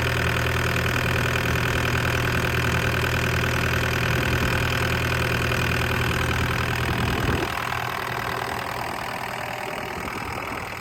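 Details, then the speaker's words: Six-and-a-half-ton DX63 digger diesel, after start-stopping fault: settles into a steady, even idle with a low drone, dropping lower toward the end; running fine. "I glad to hear that engine going"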